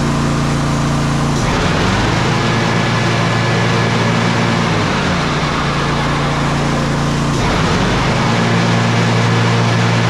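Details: Exmark 52" Pioneer S zero-turn (PNS720KC523), Kohler KT720 twin, after repair of rough running, popping and bogging traced to faulty ignition coils: runs steady and strong, even throttle changes, no popping, misfire or bogging.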